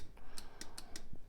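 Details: 1965 Chevy Nova wagon converted to two-door delivery, which overheated; electric cooling fan relay switched by ignition key: sharp, crisp single clicks as the relay pulls in and drops out, clean with no buzz; healthy relay.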